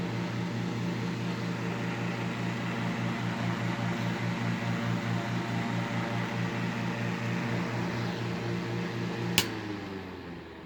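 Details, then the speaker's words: 1940s desk fan without rubber feet: low steady hum with regular throb about twice a second and rattling, cage visibly vibrating; bent blade unbalancing the fan. "that's how you can see if the blades are bent if it's not perfectly straight that means it's bent and then now that i know it's bent again i have to hunt down that blade that has been straighten it out again and hope it deletes my vibration problem"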